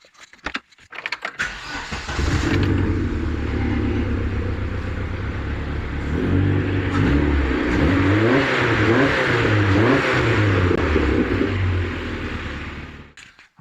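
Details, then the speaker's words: Vauxhall Nova SR with 2.0 C20LET redtop turbo engine, after service with new oil, filter and gapped plugs and HT leads refitted: starts after short crank, settles, clean even throttle blips with no misfire or popping. "we can safely say that sounds okay"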